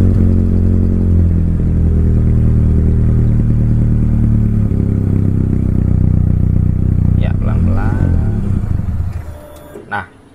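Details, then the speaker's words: Mitsubishi Lancer CK4 with a damaged air flow sensor (AFS/MAF): engine held near 2000 rpm sags and stalls as the throttle is slowly released. "यह पता चला कि इंजन फिर से बंद हो गया है।"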